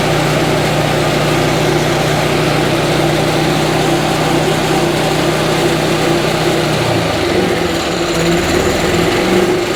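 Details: Yamaha G29 golf cart with a freshly rebuilt single-cylinder engine, first start in neutral: a steady buzz at fast idle with the pitch dipping slightly near the end, no knocks heard; normal running.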